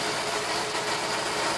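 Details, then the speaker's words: Holden LS2 V8 idling after water pump replacement: a steady, even hum with no grinding or knocking. The earlier grinding is gone, confirming the failed water pump. "So I've put the new water pump in. Don't know if you can hear it, but you know, you just can't hear. I can't hear the grinding anymore whatsoever."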